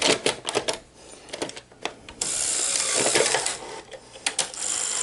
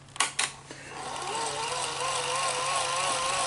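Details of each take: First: Sony SL-HF900 Betamax after repair, reassembled: scattered mechanism clicks and clunks settling into a quiet even whir, tape transport loading and running normally with no tape spilling out. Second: Sony SL-HF900 after a full service, during rewind/fast forward: clicks, then a whine that wobbles in pitch in the forward direction but sounds fine in reverse. Capstan or Hall-effect motor failure suspected. Uneven motor whine.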